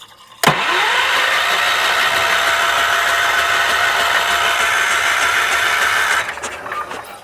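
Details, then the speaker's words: 1978 Wheel Horse C-121 garden tractor: steady cranking about six seconds, turning over evenly but never firing; after freeing gummed-up parts, a spark check shows no spark at all. Cranks but won't start. "All right, let's have a little looky-poo and looky-poo at our, see if we're producing any spark here. I don't see anything. There's nothing."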